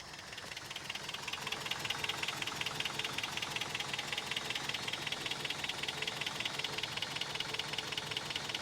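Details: 1993 Toyota pickup sitting at least 10 years, reportedly parked for a head gasket or timing chain issue: steady crisp ticking, two to three per second, over a rough, uneven idle; owner believes a blown head gasket.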